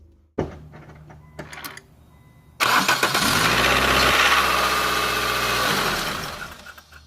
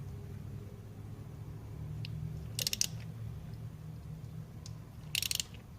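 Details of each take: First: Nissan SR20 petrol engine (NX2000/Sentra SE-R type): harsh metallic timing chain clatter on startup easing toward idle, some rattle under throttle; timing chain tensioner found leaking, to be replaced. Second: Nissan SR20 engine (NX2000/Sentra SE-R/200SX/G20), engine off and turned slowly by hand after installing a new timing chain tensioner: two bursts of sharp clicks as the tensioner ratchet extends, taking up chain slack and applying tension normally.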